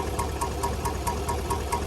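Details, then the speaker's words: 2019 GMC Sierra 1500 5.3 L V8 at steady idle with a sharp, even lifter tick about four to five times a second; the lifter tick is related to the AFM/DOD active fuel management system. "This is a 2019 GMC Sierra 1500 with the 5.3. And this is going to be a lifter tick."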